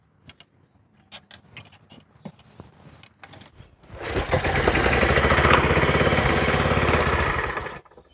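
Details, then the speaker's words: Troy-Bilt pressure washer, Briggs & Stratton Quantum engine bought in 2004, non-starter: starting fluid sprayed in at half choke, several pulls, then it runs rough and fast, a bit rich and flooded, and dies. Spark, fuel and air are present; runs only on the sprayed fuel, pointing to a fuel-system fault. "Một chút động cơ hai thì mà tôi đưa vào đó đã thành công. Rõ ràng là tôi đã có một chút quá phong phú, một chút ngập lụt. Nhưng điều đó cho tôi biết ba điều: Tôi có tia lửa, tôi có nhiên liệu và tôi có không khí."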